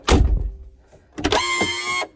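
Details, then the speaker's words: Mercedes G500 G-wagon door lock actuator after it was found unplugged and its wiring reconnected. A thunk, then about three-quarters of a second of harsh buzzing whir while locking. It works but sounds worn and will be replaced. "that is a terrible noise is that the auto lock all right it's terrible sound but but it works"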